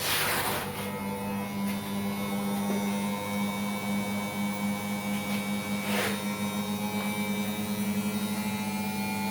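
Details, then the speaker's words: Beko/Condor EV7103 front-loader after its door problem was repaired: a steady low motor hum with a faint even ripple and no knocks, scrapes or grinding, so the wash cycle is running normally. "হ্যাঁ, আমরা এখন push করলাম, আমরা wash করে দেখাচ্ছি আপনাদেরকে।"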